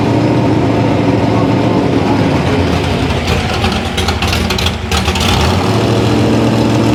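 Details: V8 runs with an uneven, lumpy beat and ragged throttle during carburetor testing; timing is being lost at the bottom end, and the rough running is attributed to a poorly metering carburetor.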